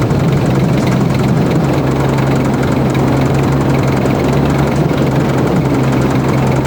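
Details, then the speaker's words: Modified car: loud rough drone with heavy low hum and dull knocking, RPM dependent, belt still on, very loud at intake; suspected from the block, hopefully not the head, unconfirmed. "Hopefully it's just something loose. Nope, it's RPM dependent."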